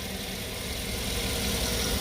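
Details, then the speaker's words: 2007 Chevy Tahoe LT, 5.3 L Vortec V8 with bad alternator: steady, even low idle rumble, no tapping or misses; engine sounds good. Normal idle. "engine sounds good it's got a 5.3 liter Vortech engine"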